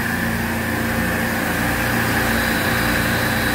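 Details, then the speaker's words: Refrigeration evaporative condenser at about 50°F ambient: VFD kicks in and condenser fans run with a steady, even hum, no knocks or scraping; normal condenser fan operation. "the VFD just kicked in which is very good you'd hear the sound that humming sound"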